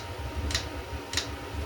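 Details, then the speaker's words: eBay 8 kW Chinese diesel heater at startup, fuel pump engaging about 30 seconds in, exhaust not yet hot, just before lighting with a low hum. Sharp light ticks about every 0.6 s over steady hum. Normal fuel pump priming. "okay it was just maybe 30 seconds and it started to engage a fuel so pump here"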